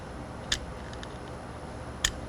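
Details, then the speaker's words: Motorized bicycle rear wheel turned slowly by hand: two sharp metallic pops about 1.5 seconds apart. The misaligned rear sprocket tries to walk off the chain, which goes very tight and hard to push just before each pop. "kind of hear that popping sound so what's going on is the sprocket's trying to walk off the chain it's getting real super tight and you notice right before it makes that popping sound it gets real hard to push and you hear that pop"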